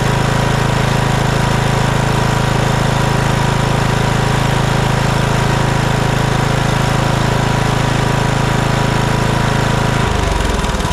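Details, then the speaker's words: Kohler Courage 19 twin on Troy-Bilt Bronco 42" riding mower, previously surging and dying off choke after aftermarket carburetor install; after fitting new carburetor and gaskets, no adjustment: steady even idle, no hunting or surging, clean shutoff; runs beautifully. "no adjustment Straight Out of the Box runs just beautifully"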